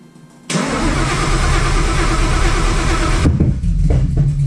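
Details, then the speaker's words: Widebody Fox Body with cammed built Coyote V8, ported Boss 302 heads and Whipple Cobra Jet supercharger, first start after build: cranks, catches, then runs lumpy, surging and stumbling; owner suspects timing off or misfires, possibly needs more fuel. "timing's going to be off or something cuz it just stumbles it acts weird"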